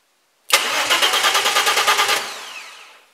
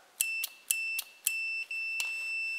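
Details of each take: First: Race car build (R5 Maxi replica) with new start/stop button and kill switch wired: starter spins steadily about eight chugs a second for under two seconds, then stops; engine never fires because the ignition wiring from the old ignition lock isn't connected yet. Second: Race car replica (R5 Maxi) start/stop button wiring tested with a multimeter in continuity mode: sharp relay clicks each with a high beep, then a steady tone; relay switching and closing contact properly.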